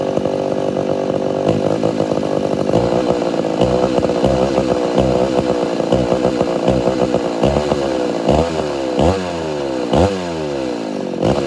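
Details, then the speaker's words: Homelite Super XL-925 82cc vintage two-stroke chainsaw, governor blocked off, dull chain with shallow rakers: revs sweep high, hang and surge off throttle; too lean on low-speed circuit, richened about a quarter turn. "i had to go richer on the low like a decent amount like almost probably a quarter turn maybe a little more it was just too lean"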